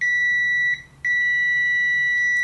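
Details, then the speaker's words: Uni-T UT161D multimeter in latched continuity mode with probes held shorted: the steady high beep cuts out for about a third of a second, then resumes. It is an odd intermittent pause in the continuity beeper. "all right it's latched but it does this weird PA pause so when you touch it and leave it it'll beep then have some quiet and then it'll will start beeping"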